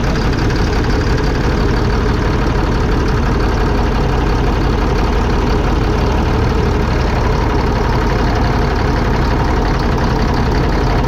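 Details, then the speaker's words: 2005 Fleetwood Discovery, Freightliner chassis, Cat C7 diesel, after replacing bad injectors on cylinders 5 and 6: steady, even idle with a smooth low rumble and no misses; running on all six cylinders. "all right so there she goes working on all six cylinders"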